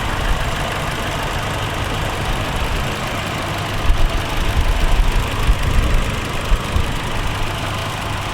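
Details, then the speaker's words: 2013 Toyota Kijang Innova G, 2000cc petrol, automatic, heard at the engine bay after start-up: a steady low hum with a smooth, even idle and no knocks or ticks; normal engine sound, no oil leaks. "Jadi di sini suara mobilnya bisa kalian dengar kalau suaranya itu normal. Jadi untuk mesinnya dia nggak ada masalah ya, suaranya nggak ada suara-suara aneh."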